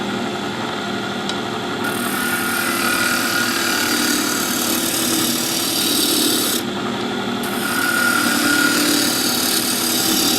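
Even, unbroken hiss of the gouge cutting with no ticking left; the blank runs true and the cut is clean.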